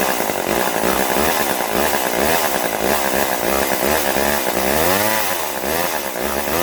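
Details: Vintage Poulan S25DAV (Super 25) chainsaw after fuel line replacement, top cover and air filter off: two-stroke revs rise and fall cleanly, picking up crisply with no bogging or misfire; runs properly, further tuning planned.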